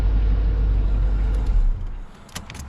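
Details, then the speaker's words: LT1 V8 Chevrolet Caprice 9C1 idling after water pump, Optispark and radiator hose replacement, not yet hot: deep, even idle with no misses or knocks, where before it hesitated and skipped; it now runs normally. "that sounds like it's responding I mean that's running I don't think it's got any more misses to it it was like hesitating before like skipping around"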